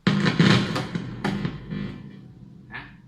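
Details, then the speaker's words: Electric guitar through an amp after cleaning and coating the output jack contact to cure hum and crackle: chords ring out clean with no crackle or background hum, signal flowing freely. "เป็นไงมันไม่มีเสียงแล้วนะครับเสียงมันจะหายไปแล้วเพราะว่าวงจรหรือสัญญาณมันเดินได้สะดวกนะครับ"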